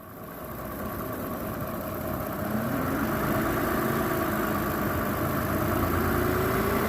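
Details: 2006 Toyota Avalon XLS, sound from the front of the engine as it revs: faint whine climbing with engine speed over the running engine; noisy worn alternator bearing, alternator replaced.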